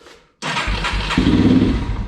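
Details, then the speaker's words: Yamaha TTR230 carbureted trail bike, fully cold start on choke with a fully charged battery: starter catches, the single fires and runs rough under two seconds, then dies. This is its usual hard-start behaviour. "It's gonna shut off a couple times, and then about the third fire, it'll start and it'll run."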